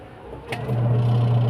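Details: Washing machine that had been weak and noisy, tested after its middle gear/gearbox was replaced and the spinner fan refitted: motor starts and settles into a steady, even low hum with no grinding or clunking; spinner running normally after repair.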